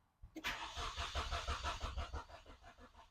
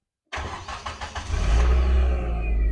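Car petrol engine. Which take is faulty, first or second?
first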